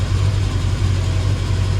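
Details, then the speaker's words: KRX steering rack after Class 1 Motorsports bushings, new boots and seal, and proper tightening: steady even idle while the wheel is worked, no clunks, no binding; steering tight and quiet. "oh that's all tightened back up see if there's any clunking I do not see any clunking no binding nothing but smooth operation very nice"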